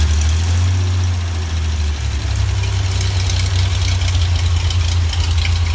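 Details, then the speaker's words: Rebuilt GMC 305 V6 on a run stand with an expertly rebuilt carburetor: a low, steady idle burble with an even beat and no knocks or misses. It purrs like a kitten. "that is why you have an expert rebuild your carburetor this thing purs like a kitten"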